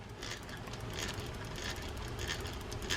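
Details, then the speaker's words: Penn 185 Seaboy saltwater reel using Jigmaster gearing: cranking the handle gives a rough, gritty grinding with a repeating catch each turn, plus play in the handle. This indicates a bad main gear, or possibly the pinion gear. "might hear that that's a bad main gear, and you can also see that there's some play in the handle there."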